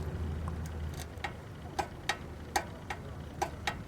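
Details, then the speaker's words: Tecumseh PowerSport 5/6hp OHH engine, about 2002, stopped, governor shaft moved by hand: sharp, uneven dry clicks about two a second as the shaft rocks in its worn, wallowed-out block bore, which throws out oil. "There it's slipping in and out. Hear that? And that's causing, see there, that oil came out of there from me doing that."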